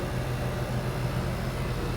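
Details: Used R22 condenser unit on first start after repair: compressor changed, new TXV and sight glass, start relay, start capacitor and pressure switch added, recharged with R22. Steady low hum with even mains buzz, no knocks; pressures still fluctuating; running normally.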